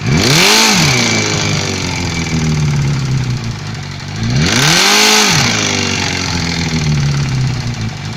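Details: Suzuki GSF 600 motorcycle revving up and dropping back twice over a steady idle with a rough clatter underneath; engine knock, cause not identified.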